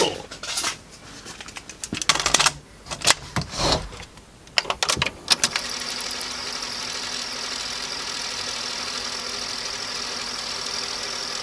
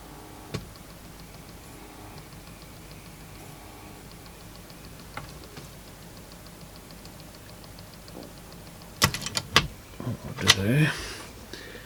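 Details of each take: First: Sony TC-W290 dual cassette deck, soft-touch plastic mechanism with DC servo motor, after repair: a few sharp mechanism clicks and clunks, then a smooth, even whir with no drag or squeal; tape playing normally, transport apparently fixed. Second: Sony TC-W290 cassette deck, mid-1990s plastic mechanism, unused for a while: faint light ticking about three times a second from the mechanism, then handling clatter; a split plastic gear with teeth spread wider apart is clicking.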